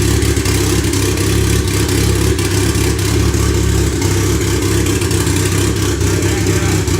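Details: Freshly rebuilt turbo 1996 Honda Accord CD5; tune first suspected, vacuum leaks checked. Low, uneven engine drone held up on the throttle that won't settle into a clean idle. Rough idle from faulty idle air control valve wiring, with the sensor plugged in wrong.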